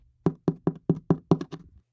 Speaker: The underside of the 2x4 bottom plate has been damaged as well, and you could hear the difference in the rotted section of OSB.